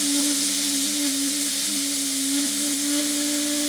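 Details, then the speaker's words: Restored 1960s Faema Faemina lever espresso machine, hot, steam wand open at about 1 bar: steady hiss with constant whistle tone, no sputter; normal venting to bleed pressure down to about half a bar. "What I like to do when using the machine is get it up to temperature, turn it down to minimum, and go ahead and bleed off that extra power."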